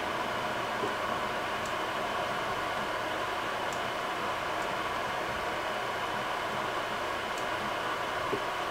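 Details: Creality Ender 3 printer after a BTT SKR Mini E3 v1.2 board and Noctua 40 mm hotend and mainboard fans; constant airy whoosh with a faint hum, no ticking: the stock power-supply fan, not yet replaced, is simply running loud.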